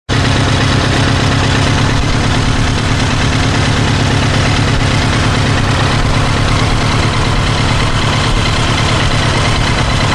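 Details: Kawasaki GPZ900R engine idling loud and low with a hard, rapid hammering pulse; above 3000 rpm it starts to stutter; cause of the hammering unknown.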